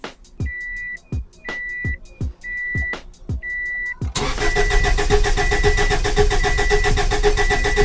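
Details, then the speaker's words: Baja Turbo, freshly rebuilt engine, first start with fuel pump fuse pulled: fast steady starter cranking with even compression pulses, no firing, spinning to build oil pressure until the oil light goes out. "Okay, so I pulled a fuel pump fuse. Now I'm gonna crank this thing until my oil pressure light goes out. Put the fuse back in, and we'll see what happens."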